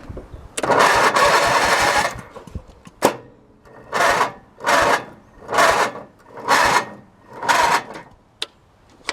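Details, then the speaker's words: Hechinger by MTD lawn tractor with new belts, starting under load: starter churns in about seven short heavy bursts with pauses and the engine never catches; labored cranking, owner suspects too much friction and a clutch needing adjustment. "much friction definitely needs adjustment"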